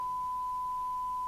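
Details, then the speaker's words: York JCB861 UK FM CB radio (Cybernet 234, 1981, Japan), restored to factory standard after illegal modification, run at 12 V, signal generator input at 0.3 microvolt: clean steady mid-pitched test tone, no crackle, warble or hum; receiver reproduces the signal properly. "we can already hear that at 3 of a microvolt so I'm going to put it onto the sign ad meter it's it's actually fine"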